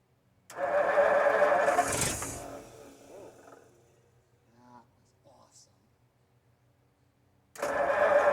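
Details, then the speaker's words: 1952 Ford F-1 after 28 years, rebuilt carb, PerTronix ignition, new plugs, timing just reset: cranks, catches and roars for a couple of seconds then sags and dies; nearly starts, needed more air and less choke. "So close. What I needed was more air, less choke."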